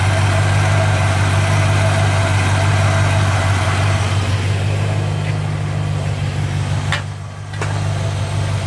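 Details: 1957 Chevy convertible V8 with over 250,000 miles, after exhaust manifold leak repair: even, steady idle with a smooth low rumble and no clack-clack from the exhaust; sounds sealed and healthy. Normal idle.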